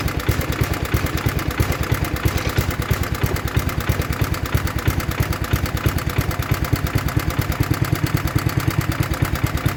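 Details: 1960s Toro Professional 70 reel mower 8 hp single after carb rebuild and fuel system cleaning, fuel fully on, warming up: steady even fast idle with crisp regular exhaust beat; healthy.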